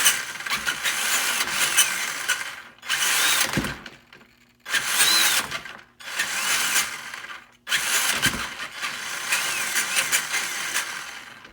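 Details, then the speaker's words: Traxxas Summit RC truck after readjusting motor pinion-to-spur mesh between too tight and too loose: short bursts of high, even whirring with clean stops, no slipping or skipping between forward and reverse; gears mesh properly. "that's good guys no slip between you know kind of kicking between four in Reverse it sounded pretty good"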